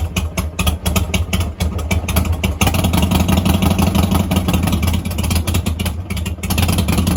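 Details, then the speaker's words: Mini Harley-Davidson chopper V-twin on a cold start. The idle lopes, with revs climbing and dropping, because the choke won't stay fully out and slides back in. The idle surges as the choke backs off. "So you guys might have noticed the Harley kind of sounds like it's like high RPM, low RPM. So there's a story behind that. For some reason my choke doesn't want to like hold it tight, so like the choke will slide back in and not stay all the way out when I'm first"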